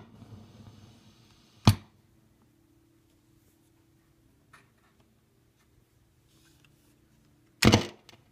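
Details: Fender Deluxe Reverb reissue amp: two sharp crackling pops several seconds apart over quiet steady hum, intermittent, unaffected by volume setting; cause not yet found.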